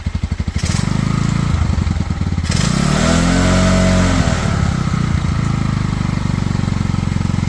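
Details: Cheap Pioneer Nevada single-cylinder motorcycle after new carb fitted and rusty tank cleaned with vinegar, choke off: catches, rises through a rev and settles back to an even steady idle; runs cleanly on its own.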